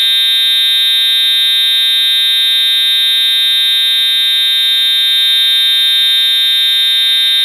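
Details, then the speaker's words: EST/Edwards Integrity 757-7A-T horn strobe on continuous tone, low volume, horn and strobe together: shrill, unbroken buzzing tone at constant pitch and volume; horn sounding properly in continuous mode. "Oh Google turn off the light Oh Google that on the life that's really loud thank God I do the hearing protection on my ears now"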